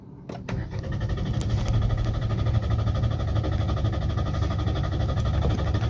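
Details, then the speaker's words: Hyundai Aura CNG-plus-petrol car, CNG indicator blinking, stalled after refueling: starter churns steadily about five seconds with a rough low drone but never catches; crank no start, CNG fuel switch not engaged. "చూసారా vehicle start కాలేదు మళ్ళీ start చేయబోతాను. చూసారా short కాలేదు ఓకేనా ఇదే customer complaint"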